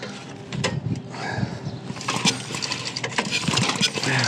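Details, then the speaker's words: 1995 Briggs and Stratton generator, recoil pull after carburetor cleaning, before first start attempt: firm, even chuffs as the piston comes over; good compression. "that thing is good compression you could hear that then we'll spray a little bit of this carburetor cleaner put the switch to on see if we at least have spark and stuff"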